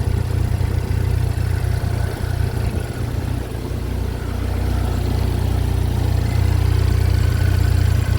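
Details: Chevy Equinox just started after an engine replacement, with oil burning off. It holds a steady, even low idle with a smooth rumble and no knocks or misses: normal idle.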